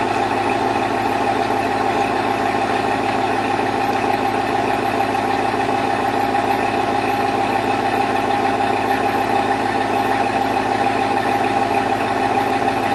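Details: 2002 Chevrolet Avalanche with Vortec 5.3 V8 on cold start: a fast, hollow, steady knock over the idle, which is piston slap.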